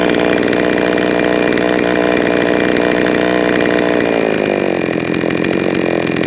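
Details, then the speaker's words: Jonsered 525 chainsaw screaming at full throttle, then stumbling and sagging as it comes off throttle; the hesitation shows the low-speed mixture is too lean, so the low-speed screw is turned richer. "leave the way that it hesitate off the throttle that tells me that it's got uh it's too lean on the low side so I'll give it a little bit more fuel on the low side"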